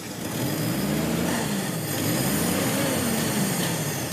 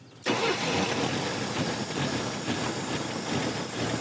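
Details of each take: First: Classic Pontiac that sat about 30 years, after solvent treatment for sticky rings and a suspect number-three cylinder: several clean rev sweeps with no knock, miss or stumble. It did not overheat but smokes a little, and the number-three cylinder is suspected. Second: Classic Pontiac that sat about 30 years, just after rebuild and new plugs and hoses: the engine catches into an uneven, lumpy idle. The vacuum advance diaphragm was adding too much timing, and removing it made it run much better.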